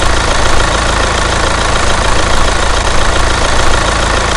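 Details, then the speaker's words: Hyundai Santa Fe DM R diesel engine, heard at the timing side at idle: an even, normal clatter with no stretched timing chain rattle, indicating a healthy chain. "엔진 옆에 타이밍 쪽 소리를 잘 들으시면 2차의 상태로 확인할수가 있어요 자 지금 들으시는 소리가 정상적인 앤 일들입니다"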